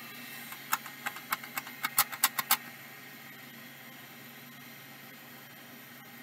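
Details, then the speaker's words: Microscience HH825 (improved HH725) hard drive in a box of drives from a Texas haul; stepper oil damper fell off; about a dozen sharp uneven clicks then a quiet hum, head stepper struggling to seek; abnormal seek noise, needs exercise, probably won't fully work. "that didn't look right to me let's try that one more time no that that ain't work right that needs exercise but I think this one can be made to seek at least probably not made to work"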